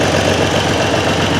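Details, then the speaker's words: Triumph Trident T160 triple with relay-fed Boyer ignition on borrowed five-year-old plugs: fairly even idle with occasional uneven exhaust pulses, a slight misfire; owner suspects the old plugs, not confirmed. "so it could be the missed slight miss is the plugs but as i say she will go"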